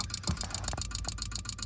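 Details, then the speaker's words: 2005 Subaru Impreza 2.5L that stalled on the highway and won't restart: key in run, engine off, fast steady fuel pump relay clicking about seven or eight times a second; no communication with the ECM, melted harness. "That's the fuel pump relay clicking. That would be the ECM."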